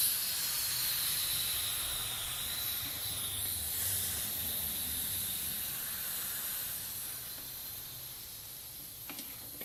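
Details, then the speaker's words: Porter Cable 150 psi air compressor, about 14 years old, tank at 60 psi: drain bleeder opened counterclockwise, tank tipped back to purge condensation; steady loud hiss of escaping air — normal drain. "there's a little bleeder so we're gonna turn the bleeder air is going to come out force the compensation out"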